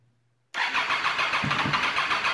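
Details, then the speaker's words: Triumph Daytona 675 rebuild after new fuel line, tank and Power Commander fitted, fuel pump primed, in neutral: fast starter whir with uneven firing pulses that nearly catch then fade; cranks but won't start, battery possibly low. "Ooh, didn't want to start. Okay, let's try that again. Battery might be a little low."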